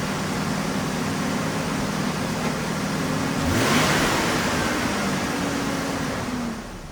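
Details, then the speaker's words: 2000 Ford Ranger 3.0L V6 with no foot on the pedal holds a fast high idle that dips partway and settles; owner suspects a sticking idle air control valve, later cleaned along with dirty MAF and throttle body. "It's idling a little bit high, but it's coming back down. And it usually comes back down, but when I think my idle air control valve is sticking."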